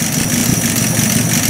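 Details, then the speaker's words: Warm Buick Roadmaster with air cleaner (air horn) installed, tach bouncing 450–500 rpm; low, steady idle with no stumbling or misses: normal warm idle under the added load. Owner unsure how the choke will do cold. "all right air horn on we're in the 450 to 500 but it bounces all over I'll never really know exactly where it is I'm pleased with that idle that's pretty good at least for a while it's warm"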